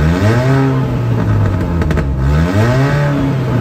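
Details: Mini with holes drilled in the catalytic converter and exhaust tube: revs rise and fall with a loud, deep, raspy drone far harsher than normal; exhaust leak from those holes, recorded before welding them shut.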